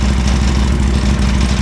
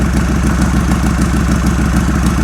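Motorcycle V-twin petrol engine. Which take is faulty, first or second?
second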